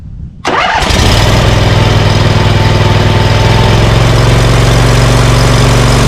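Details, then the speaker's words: Scag Cheetah mower with Briggs & Stratton Intek V-twin off a Craftsman, previously misfiring on one cylinder, now fitted with a cheap Amazon carburetor replacing 791230: choke set, slight throttle. Catches quickly into a steady, even fast idle; misfire gone. "Well, I think I'm going to go out for a test run and see how this does, because that doesn't sound too bad. But I have a better idea. At least I got rid of that, you know, that horrible misfire and the poop I was getting."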